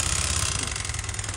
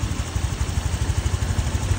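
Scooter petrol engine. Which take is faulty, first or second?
first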